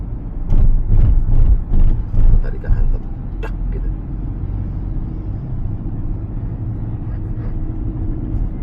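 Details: Mercedes-Benz W204 C200, about 14 years old, on a road test after a general check-up: dull, uneven low thuds over the first seconds, then steady road rumble, the suspension knocking over bumps; shock absorbers are suspected.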